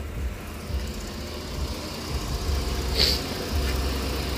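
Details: 2008 Jeep Grand Cherokee 4.7L 4x4 after a dead battery and fuse box smoke, idling once the defroster, AC and headlights are turned off: steady, even idle with a quiet low hum and no whine; charging side sounds healthy.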